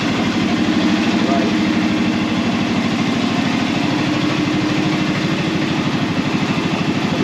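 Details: Arctic Cat Prowler engine running on a stand, with temporary wiring, while air is bled from the cooling system and the thermostat is still in. Steady idle thumping about three beats a second, even, with no knocks or ticks; sounds healthy.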